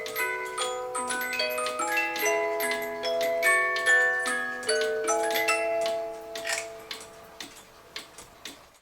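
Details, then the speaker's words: 1986 8-day Oompah cuckoo clock that never ran, after bending the wire behind the pendulum and leveling the case: light, evenly spaced tick-tock about two and a half beats a second, in beat; normal even tick-tock. "normally people don't think about tilting their clock until they can hear the pendulum and the movement ticking an even Tick Tock sound anyway it's ticking just fine now it's leveled and sounds beautiful"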